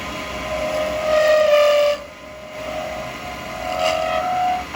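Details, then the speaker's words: Acrylic pen blank with beads held between centres, turned with a 12mm round carbide chisel: a high singing tone near 600 Hz swells and fades as the blank gets thinner, chatter from the thin workpiece flexing. "Bit of noise as it's getting thinner, it's between centres, so."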